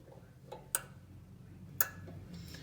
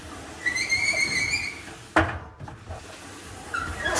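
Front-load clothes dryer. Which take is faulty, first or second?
second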